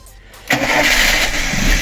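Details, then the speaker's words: VAZ 2108 engine, first start after a cylinder head rebuild for an engine knock: new valves, replaced exhaust seats, adjusted valve shims, sport camshaft, oil system primed. It catches at once to a smooth idle; fan on, cooling system bled; normal. "Ну ось і все друзі вентилятор включився система повністю прокачана обратка качає все добре ось так працює наш моторчик"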